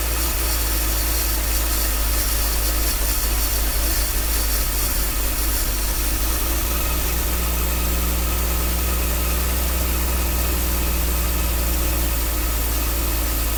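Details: 1966 Dodge A100 van, 225 ci slant six, after sitting long, jumper wire reconnected: steady, even deep idle with no knocks or misses; runs well, accelerator pump plunger likely worn.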